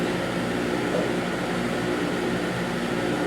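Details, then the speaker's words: GE dehumidifier from basement, restarted on continuous after setting raised one step, lights dim: steady heavy hum with low buzz; owner finds compressor sounds angry, as if nothing moving; strained, cause unclear. "well took it one up and it finally restarted the lights certainly dim but to me the compressor sound is angry it sounds like it's there's nothing moving around"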